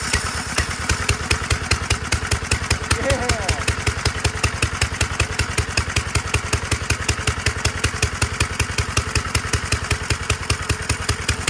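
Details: 1946 Gravely Model L single-cylinder, first run after about five years idle, started with ether in neutral at mid throttle; steady evenly spaced pops, two or three a second, no misses, normal running.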